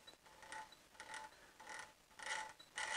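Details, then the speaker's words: Old-school generator spun on the bench with field winding full-fielded, output about 16.8 volts: dry rough rasping whirr in uneven surges about every half second; worn bearings, rebuild with brushes and bushes requested. "doesn't sound healthy does it so the customer has asked me to rebuild this with brushes and bushes whatever's necessary"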